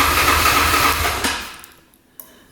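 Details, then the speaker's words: 2009 Yamaha Grizzly 550 EFI ATV: the engine churns and pops over briefly, then dies with a sharp backfire; cranks but won't run, and the owner suspects the fuel pump, a broken wire or a fuse. "So key on. I can hear it pop over. You hear it backfire there for a sec?"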